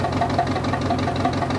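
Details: Dozer diesel just after replacing a failed alternator that had gone over 15 volts when revved and then quit charging; it idles with the gauge in the green. Steady, even beat with no misses, knocks or whine; normal idle.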